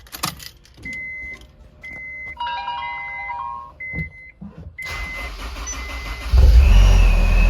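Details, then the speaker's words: Supercharged Honda S2000, freshly tuned with an upgraded 255 fuel pump, cold start: a few chimes, then the engine catches at once and settles into a steady, even idle; starts cleanly and runs normally. "Starts right up. Sideband. Warming up a little bit there. It's pretty stable."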